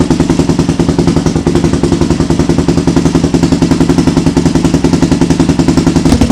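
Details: Honda 400EX ATV being rebuilt: single-cylinder thumping at a steady fast idle, about three and a half beats a second, even and clean. Normal running.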